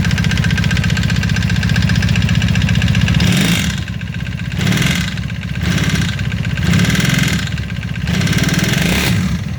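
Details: 1995 Honda Magna: uneven knocking over a lumpy idle that follows the revs as they rise and fall. Owner suspects the chain tensioner or valve noise.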